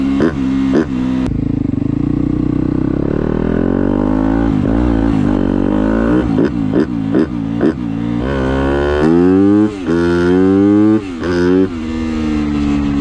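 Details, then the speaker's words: 250F dirt bike after new spark plug and fresh gas, run up and down the road: crisp, clean revs rising and falling through the gears with no sputter or cutting out; normal running, fix appears successful. "all right well it didn't really sputter it so that's good I think we fixed it"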